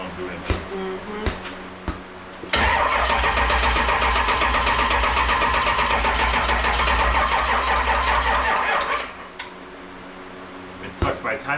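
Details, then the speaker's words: 7.3 Powerstroke diesel swapped into a 1951 Ford shoebox with standalone wiring, cold in Minnesota: starter churns about two and a half beats a second, never catches, then quits; supply suspected too weak; slow cranking, no start. "it cranks good and then it slows down so much that it won't"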